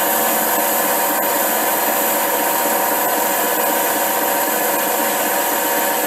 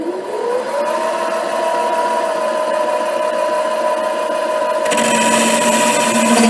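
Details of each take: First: HiTorque 5100 7x16 mini lathe facing steel at higher speed with a shallower cut after earlier chatter: steady even cutting hiss with no squeal or rhythmic chatter, a smooth clean facing cut. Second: HiTorque 5100 7x16 mini lathe facing an old, probably cold-rolled steel bar; steady ringing squeal over motor hum during the facing cut, shifting as spindle speed is turned down: tool chatter.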